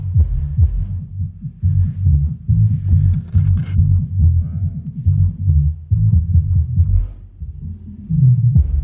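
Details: Subwoofer amplifier repaired for a fault where the output relay would not close, tested after repair: deep, heavy bass thumps at roughly 140 a minute, strong and clean with no crackle or dropouts; the amplifier drives the sub properly.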